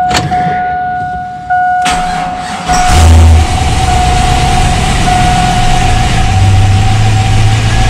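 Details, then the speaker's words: V8 truck just after oil change, before spark plugs pulled and cleaned; cranks and fires then idle lopes unevenly with stumbling beat and shaking; still misfiring, good oil pressure, cause unconfirmed. "well it's still missing i can hit a truck shaking a little bit it does got really good oil pressure so you're here it's like real flip flop flip floor it's definitely still got a mess in it without a doubt"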